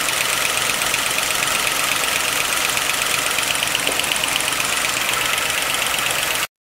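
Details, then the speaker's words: 1955 Pontiac Chieftain on fresh 10W-40 with Marvel Mystery Oil, always clackety: a quick, light metallic clatter over a steady idle. It is gross under the valve cover, but a pushrod was not clogged; top-end clatter, cause suspected, not confirmed. "every time this engine has run it's been a little bit loud a little bit clackety so i pulled off the valve cover and yeah it's gross inside but it doesn't explain it"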